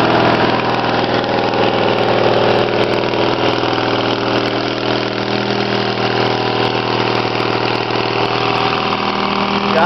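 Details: Snapper LT16 lawn tractor idling right after a cold start (sat all night, cold muffler, no battery charger, choke used): small single-cylinder engine steady and even, no knocks or misses; runs healthy.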